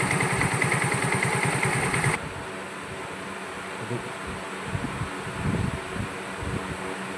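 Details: Hero Glamour BS4 motorcycle after a full engine rebuild (before it had bore wear, crank noise and smoke): short burst of even single-cylinder idle at about three pulses per second, no tapping or chain rattle; normal idle.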